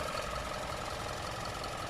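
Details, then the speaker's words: 2016-2020 Hyundai Tucson during inspection, listening for ticking engine noise: steady, even idle with a smooth hum and no knocking or ticking; engine sounds smooth and normal. "in this case although um with the audio it could sound like there's something weird the engine sounds very smooth and normal"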